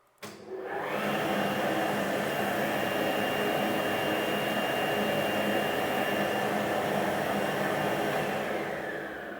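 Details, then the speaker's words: Cheap CNC router's vacuum pump (blower) running: steady, loud whooshing roar with a faint high whine, no knocks or surging; owner thinks it is noisier than standard vacuum motors, cause suspected, not confirmed. "bu ses sadece vakum e pompasından çıkan ses"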